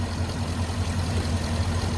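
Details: 2005 Chevy TrailBlazer: deep steady idle rumble with no misses, stumbles or knocks; idling cleanly, healthy.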